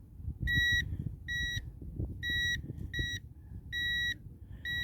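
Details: Budget AliExpress metal detector on a sandy beach: six short, bright beeps repeat about every second over soft sand scraping as the coil passes over a buried coin. Normal metal detector target beep.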